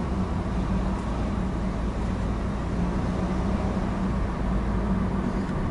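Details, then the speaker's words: Toyota Corolla on a test drive over potholes after repairing a suspension noise and an O2 sensor fault: steady tyre and road rumble with no clunks or knocks; the check engine light is off. "E aí e para os barulhos mas eu não tô escutando mais nada e vai dar uma voltinha tem um pouquinho mais longe ali"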